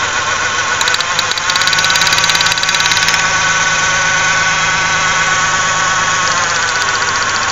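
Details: 1995 Ford Ranger Splash 3.0L V6 at idle: lumpy, loping pulse about three or four per second, heavy vibration and strong gas smell; rough idle, possible misfire, spark plug wires being checked.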